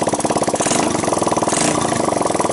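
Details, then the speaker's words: 1985 Honda ATC 200X junkyard three-wheeler after a cold start on starting fluid, running itself out of gas, camera on the tire. Quick, evenly spaced exhaust beats at a steady pitch with no valve tick, chain rattle or bottom-end knock. Normal running. "timing chain noise, no pump bumps in the bottom. No bad sounds."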